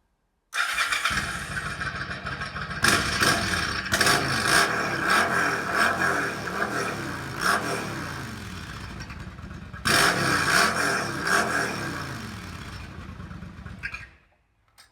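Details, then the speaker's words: Yamaha V Star 1100 bobber, warm, after adjusting the pilot mixture screws: even, crisp blips with no popping or backfire. "no sign of backfire at all all down to adjusting the prior mixture screw"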